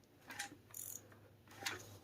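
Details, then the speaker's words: Junkyard Honda K20Z3 engine turned over by hand with a 3/4 drive during teardown; quiet gritty crunches in short bursts, something jumps, then it binds and stops dead, engine judged definitely bad. "does not sound good oh man that's crunchy oh and we're stuck yep so I would I would say this motor is definitely bad 100%"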